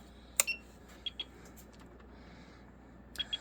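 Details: Discarded APC UPS with dead batteries and a soldering station plugged in as load: a click, then high-pitched double beeps twice, about two seconds apart, in a quiet room; the UPS is alarming, with the batteries suspected.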